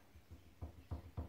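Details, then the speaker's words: Rear shock absorber removed from a 1993 Ford Courier pickup, bottom clamped in a vice and top rocked by hand: dull clunks about every third of a second as the piston rod knocks side to side; worn top bush, non-serviceable shock. "you hear that that's movement the Piston rods clunking from one side to the other and that tells me that the bush at the top of that shock is worn out"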